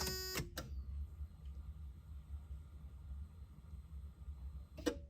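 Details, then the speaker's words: 1989 Toyota pickup with a 1UZ VVTi V8 swap and a newly wired Spitronics standalone ECU, ignition on: relay click, a faint electric fuel pump hum for about four seconds, then a second click. This is the normal three-second pump prime. "so let's see if the uh fuel pump and stuff works now so the fuel pump should click that relay on for three seconds"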